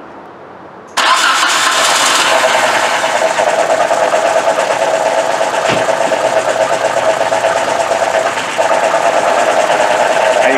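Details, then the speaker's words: 1995 Nissan Sentra four-cylinder, complaint of shaking and no power: it cranks and settles into a lumpy, uneven idle, apparently running on two cylinders. Cylinder drop tests are run; the cause is a random misfire from bad fuel injectors. "see the engine's taking bath like that but that means we have a gas image fires and uh it's taking that level i believe this engine's running like two cylinders"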